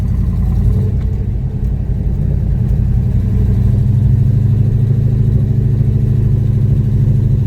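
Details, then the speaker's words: Ford Capri with a freshly rebuilt V8 and redesigned clutch slave, first drive out of the garage: a deep, even V8 rumble pulling away smoothly with no knocks or misses; coolant okay, oil pressure excellent and operating temperature holding steady. "it runs okay it goes well the coolant seems to be okay the oil pressures excellent even the operating temperature it's not dropping off and it sounded alright"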